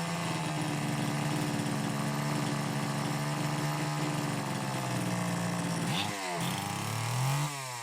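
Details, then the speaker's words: Homelite XL-903 chainsaw, stiff fuel hose possibly not letting filter sit in fuel: steady buzzing idle six seconds, then stumbles, surges and sags; won't hold low speed circuit, lean fuel starvation. "Looks like it won't run on that low speed circuit at all."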